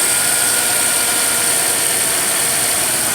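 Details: 1995 Ford Explorer 4.0 after cleaning, idle control arm raised: steady, raised idle with even hum and no surging or dipping; previously idled rough and stalled before cleaning.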